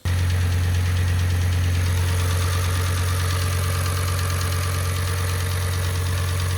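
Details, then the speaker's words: Audi RS6 V10 at idle, earlier footage from first engine start: steady low hum with faint quick light ticking from the cylinder head, traced to a FEBI hydraulic lifter (cam follower) believed faulty; warranty declined. "again I wasn't really happy with it and the tapping noise from the cylinder head was a reason why I move the engine the second time however I did find out we have a problem with one of the hydraulic lifs which I believe was faulty"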